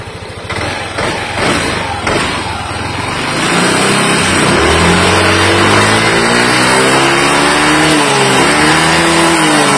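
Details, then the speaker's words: Yamaha Aerox scooter after repair: the engine had been rattling in the front at certain RPM but was smooth at high revs, and the cam follower/rocker parts were replaced. It now revs up and settles smoothly with no ticking or rattle. "oke udah hilang ya suaranya udah hilang ini udah halus lagi"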